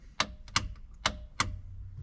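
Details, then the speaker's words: LS7 V8 in an S14 comp car, sat about 3 months, cranked with ignition off to build oil pressure: four sharp dry ticks about every third of a second, no firing; ignition found to have no power. "I'm just going to crank it for a bit with no ignition. Hasn't been started in a while, so just to help with oil pressure and stuff like that."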